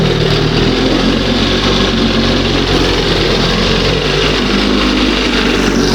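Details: 1971 Johnson 20 hp two-stroke outboard: steady buzzy run holding high, not settling to slow idle; owner suspects top or bottom seal or makeshift hose pulling air; high idle.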